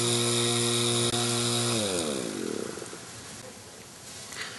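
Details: Whirlpool rotary compressor that would not start, run with its head removed: buzzy rattling hum that winds down and dies within two seconds.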